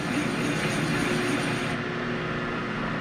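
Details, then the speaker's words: Boring a bushing for an 1889 G&E shaper with a long boring bar, about 2.5 inches, on a cut of about an inch: steady cutting with a faint humming ring as the bar flexes. Boring bar chatter. "Yeah, see, it's bending that, the cut is bending that tool. Kind of hear the chatter."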